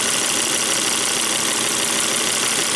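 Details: Volvo V70 wagon after a 400-mile test drive, PCV oil separator check with glove on oil filler showing vacuum: steady, even idle with smooth airy hiss, no knocks or misses; separator not clogged.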